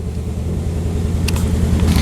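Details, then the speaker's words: 2003 Pontiac Vibe GT at idle with the muffler shaking: a lumpy, uneven idle with an occasional stumble and pop. Scan data confirms a cylinder 2 misfire. "you can hear that thing sounding completely different and you can occasionally hear it pop that's going to be a misfire so we got a cylinder 2 misfire that we got to hunt down"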